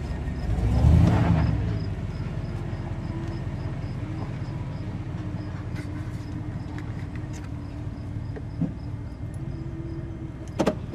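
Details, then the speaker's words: 2500 Silverado with 8.1 L Vortec and Allison transmission, in gear under load, worst in reverse: deep uneven stumbling rumble, about four lumpy pulses a second; misfire at low rpm under load that heavy throttle only sometimes clears, repaired with coils, plugs and wires. "and in reverse it's very bad if you can hear that or not take some pretty serious pedal to even clean it up but even then sometimes it won't even clean up"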